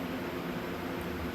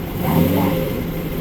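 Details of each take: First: Trans Am with a TH400 transmission, after a poor shop rebuild and a bad torque converter, then rebuilt again: in gear, a steady airy rush with a low hum, like air through a water hose, from the pump/converter area. Different pickup tubes were tried and did not cure it. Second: Trans Am TH400: engine idles and revs smoothly in gear, with no grinding or whine. The earlier awful in-gear noise is gone, and it power brakes easily.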